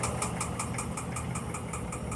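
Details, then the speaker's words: Electrolux Perfect Wash 16kg washer during spin, never levelled; steady thumping about five times a second under spin drone as the tub rocks and a foot lifts and knocks the floor; loud noise from foot lifting. "não está sem dois pés não olha ela levanta esse pé quando centrífuga quando a máquina ficava balançando viu pessoal"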